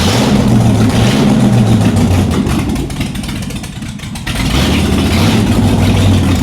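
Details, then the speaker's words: Shelby Cobra with Ford 427 V8, first start after nearly a decade out of the car, open exhaust: engine sags and surges nearly to stalling, won't hold steady idle; suspected major vacuum leak since carbs weren't removed from intake, unconfirmed. "you know we did not remove the carbers off the intake so it sounds sounds like it's got a major vacuum leak"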